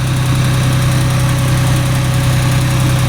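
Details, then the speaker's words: Ford 3000 three-cylinder tractor after warming about 5 minutes: third cylinder kicks in, steady even low chug at idle with all 3 firing cleanly, no miss or knock; normal idle. "Hear it trying to kick in there, and then all of a sudden it'll take off and run on all 3. Hear it? There it goes. Now it runs on all 3."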